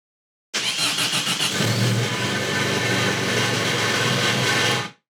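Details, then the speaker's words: Starter motor just refitted; engine catches and settles into a loud, busy idle with a tinny metallic rattle from the exhaust, its bracket bent back after the car's underside hit something and pushed the exhaust back. "you can probably hear, I need to fix this exhaust rattle. You can see that bracket is bent backwards from where I've slammed the bottom of the car into something and it's hit the exhaust and pushed it back."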